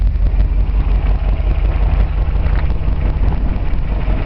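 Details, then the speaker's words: 1957 Ford Fairlane 500 with a 292 V8 and four-speed, revived after long storage with the carb not cleaned: deep, steady, even idle lope with dual exhaust and no knocks or rattles. It runs really nice. "really nice running 292. what was amazing is as long as this thing sat i didn't clean the cardboard or anything"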